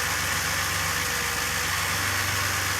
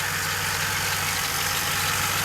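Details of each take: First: Stock DeLorean engine (VIN 10719) on a freezing cold start with some throttle held: a high cold idle easing down and evening out with a slight dip; water vapour from the exhaust, cold-start issue still undiagnosed. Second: DeLorean VIN 10719, essentially stock, after a freezing cold start that needs throttle to start: once warm it settles into an even, steady idle with no knocks or misses; runs fine warm, cold start problem remains.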